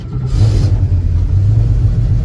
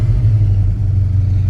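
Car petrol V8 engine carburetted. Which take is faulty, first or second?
first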